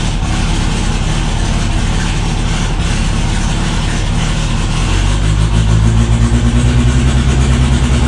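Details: Built 500hp 2.3 engine, first start: loud, deep idle that settles into a steady, slightly lumpy beat after a blip; engine sounds healthy and running cleanly.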